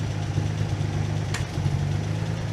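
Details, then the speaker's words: Armstrong Siddeley Special, after oil pressure check (gauge line blocked, 40 psi at cranking): steady low even idle with soft regular beat, no misses; running smoothly, much better. "Well, that's a lot better."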